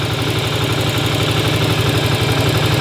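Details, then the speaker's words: 1981 Yamaha Virago V-twin idling warm after a short ride, running to drain the carbs; even loping thump, no skips, firing on both cylinders and sounding healthy. "both the smoke has it sounds like it's firing in both cylinders pretty"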